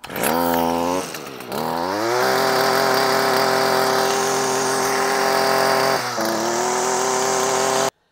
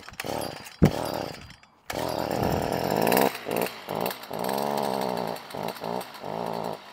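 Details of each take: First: Stihl FS 55R string trimmer, about 20 years old, after clearing a clogged spark arrestor (the cause of bogging) and replacing carburetor, air filter and spark plug: crisp high buzz climbs cleanly on throttle and holds steady without bogging; normal running. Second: Stihl FS 55R string trimmer two-stroke revs up, then sags and surges and won't hold full throttle; bogging persisted after Amazon and Stihl carburetor swaps, caused by a carbon-clogged spark arrestor starving the exhaust.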